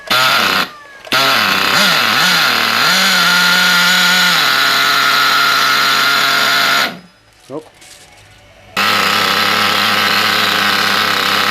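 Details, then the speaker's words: Picco P7 Evo 3 nitro engine after repinch with a custom EN9 steel compression collar to fix lost compression, poor idle and tuning issues, run with glow starter still on: high steady buzz climbs and settles cleanly, cuts out and restarts; running well. "oh so it sounds pretty good uh running quite well we've left glow starter on there um"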